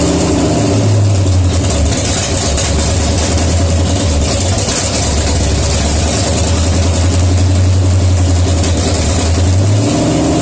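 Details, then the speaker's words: 1972 AMC 360 V8 (bored 30 over, forged pistons, Holley Demon 750, HEI, mild cam), first dry start after rebuild, oil but no coolant, headed for a 69 Javelin: deep, steady idle rumble, no knocks or misses; running healthy. "that sounds good yeah better stink"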